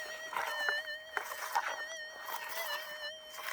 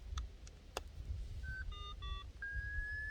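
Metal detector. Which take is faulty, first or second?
second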